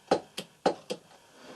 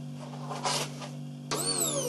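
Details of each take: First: Chery QQ fuel pump removed from the car, which suddenly stopped starting, fed directly from a 12 V battery, tried in both polarities: sharp paired clicks each time power is applied, no steady whir; pump motor jerks but never spins up. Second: New Magneti Marelli MAM00015 fuel pump for Chery QQ, bench-tested on a battery before installation: steady low electric hum with a few light clicks; runs normally.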